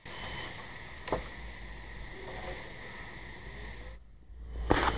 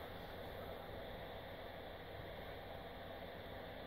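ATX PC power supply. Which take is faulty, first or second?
second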